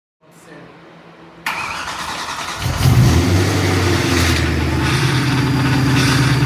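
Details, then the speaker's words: BMW E92 M3 V8 after major engine repairs, first start: cranks, catches, and a harsh steady screech rides over the idle, same as before repairs; owner suspects clutch, as it seems to come from that area. "sound as before. Making the exact same sound as it did the first time it started in the last episode. So I really am thinking it is a clutch related sound, as it seems to be coming from that area."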